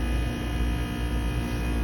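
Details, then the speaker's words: 2008 Trane XR13 heat pump outdoor unit in a long defrost cycle, steaming with ice dripping off, and the reversing valve switches at the end: a low, steady rumble and hum with no clatter or squeal. An ordinary, normal defrost. "Look, even that ice right there is dripping. There it goes. Alright, I didn't hear the reverse control switch. Oh, there it went."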